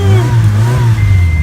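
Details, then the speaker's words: 1984 Honda Accord LX sedan, carbureted, started after pumping the gas a couple of times, fuel line initially dry: deep strong engine note catches at once and holds a firm rev without stumbling or misfire; healthy start. "So since it is carbureted, kind of like the Monte Carlo, you have to pump the gas a little bit. So I would say give it like, you know, a couple pumps and then give it some bam."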